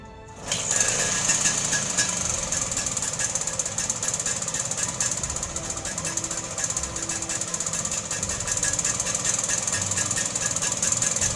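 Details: Vespa two-stroke that had been backfiring/exploding on starting, after the fix of doubling up a second external condenser because the used one's capacitance had dropped; starts and holds a steady rattly idle, no backfires or misses, light throttle response; running properly.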